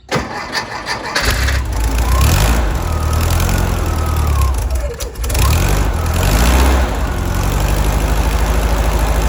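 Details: 1964 Karmann Ghia 1600 engine after fixing a vacuum leak and replacing the rattling alternator: deep, even idle with no rattle, running smoothly; it previously wouldn't idle below 1500 rpm and stalled. Normal idle.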